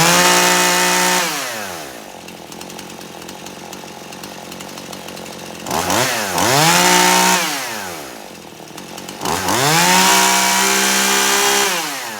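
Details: Poulan Pro chainsaw, warmed up hot after carburetor adjustment (screw turned in until it cleared out); crisp rev to a clean, steady high speed, then smooth drop to stable idle, repeated twice; carburetor tuned well.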